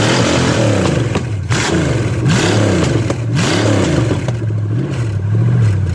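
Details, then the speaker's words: Chevy small block 305, with a distributor taken from an Impala, no coolant in it: strong, even V8 burble with a few clean throttle blips rising and settling smoothly, no misses or knocks; runs healthy. "it sounds good baby your head's cut off because i was trying to get that exhaust or the well that's that and whatever it is sounds damn good guys"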